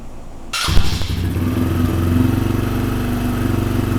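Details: Small single-cylinder motorcycle with cable-operated choke, throttle checked not sticking; catches immediately after a quick crank and settles into an even, steady idle without choke, running clean.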